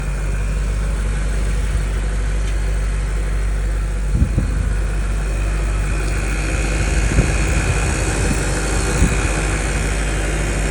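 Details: 2023 BMW M5: deep, steady idle rumble with a few irregular thumps and a faint high whine on top; cause not identified; abnormal engine noise.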